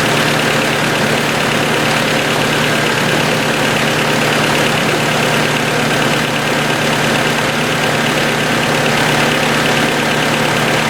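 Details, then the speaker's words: 1990 Honda CRX DX idling after ignition coil replacement, aftermarket distributor: steady idle with light fast ticking over the engine note; owner suspects valves need adjusting. "sounds like the valves probably need to be adjusted"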